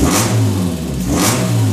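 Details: Peugeot 106 1.6 Rallye after 1.3 inlet conversion with a cone air filter, after first cold start, idling about 1000 rpm: two clean throttle blips, revs climbing and dropping back smoothly with no knocks or misses; normal revving.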